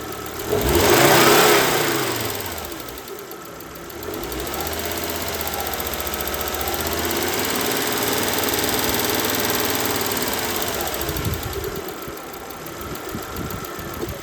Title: Volvo V70 2003 B5244s2 Ticking noise